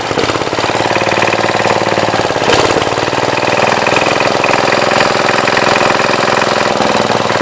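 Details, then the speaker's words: 1966 Gravely C10 single-cylinder running on a temporary battery coil after the old coil failed to spark: fast, steady, even popping with no misfires or knocks, holding speed cleanly. Runs healthy. "This thing starts fairly easily, especially with a battery coil now."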